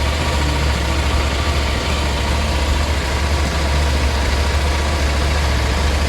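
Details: Brand-new 2021 KTM 790 Adventure S that needed 6 to 8 tries to start, after fitting a Booster Plug: starts first click, deep steady twin-cylinder idle with firm, even pulse and no stumbling.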